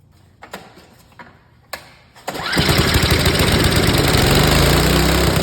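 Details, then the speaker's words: Snowblower with the carburetor mixture misadjusted: a few pulls, then it catches and climbs to a high, hard buzz well above normal speed; it is over-revving. "I'm going to bring you out here so I don't blow out your ear drums this one's revving too"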